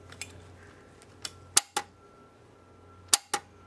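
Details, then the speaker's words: Mercury 50 hp Classic 500 outboard with added electric choke, choke solenoid and cylinder powered from a power pack via key switch, engine not running; crisp paired pull-in and release clicks over faint hum: choke solenoid working normally. "I hooked it to my little power pack so now when I push the key you can see what the choke does"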